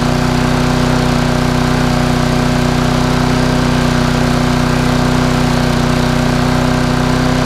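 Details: Small Briggs and Stratton lawn mower with a spring problem holds a steady, even high-pitched drone with no load, running a bit fast; owner plans to stretch the spring to relieve tension.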